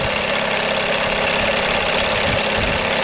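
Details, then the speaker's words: 1982 Evinrude 9.9 hp long-shaft two-stroke outboard, new thermostat and water pump, warming up: busy, buzzy crackling idle, steady level, perked up and idled a little higher with mixture screw back to middle; clean, even idle, good mixture. "It perked up after putting it back to the middle. A little higher in idle. Good mixture there."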